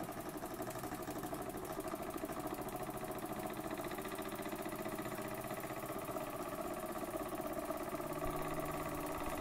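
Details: Burnac Vulcan model steam engine running under steam: a fast, even chuffing tick at a steady pace with no knocks or hesitation, running smoothly.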